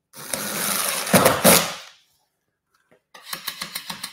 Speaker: you hear that that clicking is me hitting the screw head okay wrong right always go perpendicular straight in